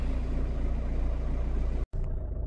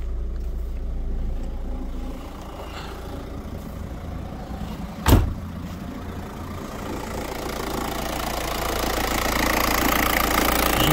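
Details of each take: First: 2002 Opel Corsa 1.7 CDTI diesel idling steady and even with no misses or knocks after repair, left to warm up; it previously stalled when hot (90°C) and would not restart, code P0251. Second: 2002 Opel Corsa 1.7 CDTI diesel, code P0251: uneven idle sagging and swelling, stalling and hard hot starts at 90°C; cause is the faulty injection pump control unit.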